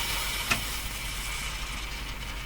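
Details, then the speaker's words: Silvertone model 6002 tube radio under troubleshooting for low output: one sharp pop cuts through the steady hiss and hum, then play continues; a capacitor failed, with no visible smoke. "uhoh something just gave up the ghost there oh you didn't see it but you heard it I didn't see any smoke come up look at oh man something fried right up in this radio"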